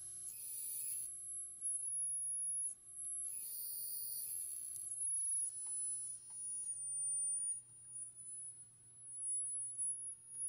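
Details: 1963 Montgomery Ward Airline Imperial console TV, Wells-Gardner line-operated chassis WG-5974A, with no horizontal or vertical and sudden squealing. Tubes test good and the horizontal oscillator is way off frequency while its coil is adjusted. A loud, steady, piercing horizontal whine sits over a faint hum.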